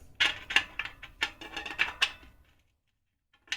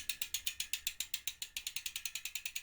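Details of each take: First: Ribble R872 with Chinese carbon 50mm rear wheel, after replacing a broken spoke. Plucked spokes ring sharply, but the new one sounds duller and lower than the rest: that spoke is under-tensioned and needs tightening. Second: Ribble R872 road bike rear wheel, Chinese 50mm carbon rims, about 4,000 miles, after replacing a broken spoke and refitting tyre: wheel spun freely, crisp even freehub clicking, no rattle or other noise; normal.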